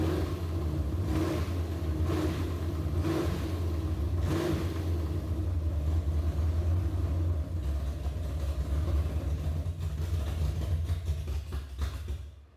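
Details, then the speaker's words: Big-block Chevy 402 V8 truck, first start, 60 psi oil pressure: deep, steady rumble, lazy and flat with no crispness; the timing is still too retarded after moving the plug wires, so the distributor needs advancing slightly. "what I'm gonna have to do is pull that distributor out and move it around just a little bit Advance it just a little bit"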